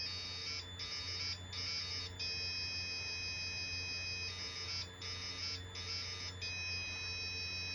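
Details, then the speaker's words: Early Bally solid-state pinball sound board being diagnosed with a logic probe on U4, then U1 pin 11; a high probe tone pulses on and off in steady bursts about once a second: live, healthy signal. "so this one I'm assuming is good and now we're going to check uh you four same thing it's singing away sounds good to me"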